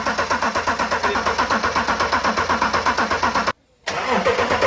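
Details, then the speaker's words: Land Rover Defender 90 with swapped BMW X5 engine: steady starter cranking about 160 beats a minute never catching into a run; cranks but won't start, wiring suspected, not confirmed. "So guys, it's the next morning and we've got a big problem. The car doesn't run whatsoever. I must have 2 hours of footage of us just cranking it over and over and over."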